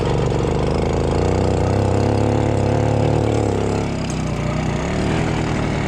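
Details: Simson two-stroke, hard to kick-start even after an ignition change, running on a borrowed identical carburettor: steady buzz whose revs sag and pick back up. It runs unevenly and the carburettor still needs adjusting; cause not confirmed.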